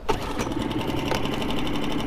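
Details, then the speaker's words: Mercury 3.5HP water-cooled outboard: warm restart in neutral with no choke, catches on the first pull and settles into an even putter with no misses or knocks; sounds better than the Honda 2.3HP air-cooled it replaced. "Beautiful. Starts on first. We are neutral. Yes, I love it. Let it warm a little bit. Sound-wise, nothing to compare to the Honda. Sounds so much better already from the get-go."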